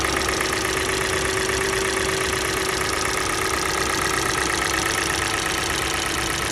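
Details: Kia Sportage G4NA engine, cold idle with ignition coils being disconnected: steady, fairly regular light knock about three per second over the idle; engine knock, source not pinned down.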